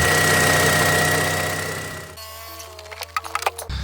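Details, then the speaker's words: Toyota Auris 1.6 petrol, about 121,000 km, in cold weather, after replacing the noisy, non-charging original 100 A alternator and a stretched belt: smooth, steady idle with an even low hum, no belt squeal or chirp; no faults, normal idle. "Mọi thứ đều hoạt động tốt. Chưa có lỗi gì. Chạy êm."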